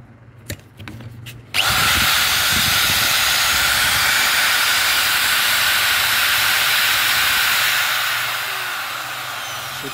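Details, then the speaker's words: Hitachi angle grinder after bearing replacement: spins up to a steady, even high-pitched hum with no wobble or grinding; runs smoothly. "sudah goyang dan suaranya halus ya"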